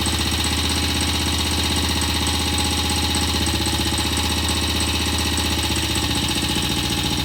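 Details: BSA C15 vintage single-cylinder motorcycle, first start after fresh transmission oil, engine cooled a little, kick-started at full throttle: steady, even thump at fast idle, no knocks, rattles or misses; normal idle.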